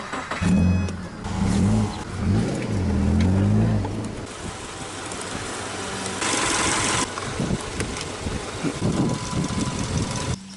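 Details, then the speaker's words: Water-flooded 2004 Mazda RX-8 6-port manual on jumper cables: sluggish, uneven cranking that never fires; slow crank and no start, with a weak battery or bad starter suspected. "and he doesn't have enough juice still or has a bad starter I"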